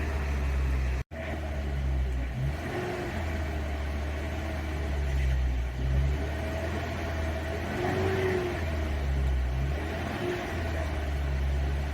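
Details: 1990 Toyota 4Runner 22RE with new head and flat-tappet cam during the 30-minute break-in, run outdoors: steady raised speed with a smooth, even drone and small rises and dips, no ticking or knocking. Owner thinks it smells rich, maybe a stuck injector. Normal fast idle.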